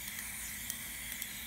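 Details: Turbo diverter valve bench test at 30 psi in, only about 16 held, no engine running: constant airy hiss with faint ticks, pressurised air bleeding past the valve; owner suspects it caused issues on his car.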